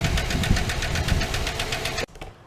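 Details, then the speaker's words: 2008 GMC Sierra 1500 5.3 V8 at startup before repair: rapid steady ticking over a rough-running engine that stops at shutdown. A failed AFM lifter, later replaced by pulling the intake, exhaust and head. "Started up the GMC the other day and it didn't sound good. I don't like this sound. To me, this is the death of my motor, but I'm praying it's not."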